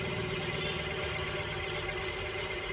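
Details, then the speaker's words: Noisy ceiling fan; steady hum with a faint hiss and a light tick about once a second as it turns; worn motor bearings suspected, sized 6201 and 6202, shaft and winding to be checked too. "इसमें problem जो होगा bearing का होगा एक तो इसमें bearing 620 एक का लगता है एक दूसरा 6202 का लगता है"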